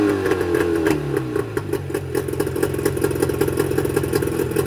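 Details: Mercury 25 HP two-stroke outboard before Boyesen power reed install: uneven, clattery idle with irregular firing pulses about two to three a second and wavering beat; rough idle attributed to the reed valves.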